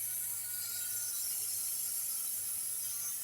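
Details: Chevy 5.3 V8 running: steady high airy hiss over faint low engine hum, air heard near the bank 1 valve cover, a vacuum leak.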